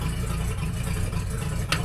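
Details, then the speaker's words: 1976 Ford F250 tow truck V8, first start-up with complete fuel system: deep slow lumpy loping burble at a low idle, needs raising to around 800; idle had been turned down from 850–1,000 rpm before the flooding was found. "we need to have that up around 8 but before I knew it was flooding turn the idle down cuz it was running up like 850 or about 1,000 actually"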